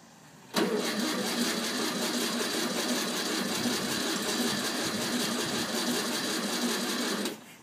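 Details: 1964 VW Bug, parked over 10 years after running, first start attempt after towing home: starter spins engine about seven seconds in a fast steady churn, never catches; cranks but won't fire.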